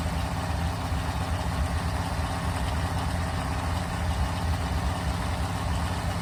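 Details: 1974 Mopar 400 big-block, stock stroke and crank, freshly built, first start on a run stand with a GM distributor. Steady, even fast idle with no ticking, knocking or misses. Normal running.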